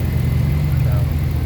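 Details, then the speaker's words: Abandoned Dodge Dakota R/T 5.9 V8, unstarted five or six years, now at operating temperature; deep smooth even idle with steady low rumble, no misfire or knocking: normal idle. "and now it's at the operating temperature that it should be at and tell you for this truck sitting for 5 years it five or six years not being started sounds really goody that's good"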